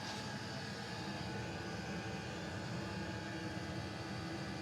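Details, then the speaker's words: Custom Webasto water heater and Chinese diesel heater hybrid at max after about 5 more minutes, hot; radiator nearly 90°, burn chamber 140; steady even roar with constant airy rush, no surging or popping; normal full-output running. "now we're using the diesel heater let's turn it up to Max and leave it five more minutes about 5 minutes has passed"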